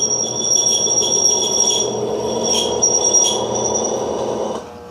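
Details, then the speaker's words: Electrolux washing machine that makes a strange noise and won't spin: a loud, rough ringing drone while the motor pulls the drum, easing as soon as it stops pulling; worn motor bearings. "vocês perceberam que ela inicia com um barulho esquisito muito forte e depois ela elimina aquele barulho deixa rodando ao sexto quando o motor não está puxando"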